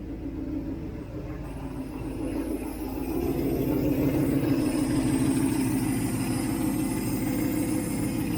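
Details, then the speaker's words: 1967 Mustang 390 V8, first run after engine rebuild, choke wide open, exhaust leak noted: even, steady burble settling into a regular idle with no misses or knocks; normal idle. "Listen to her purr. Got to fix the exhaust leak. But wow. That sounds so good now."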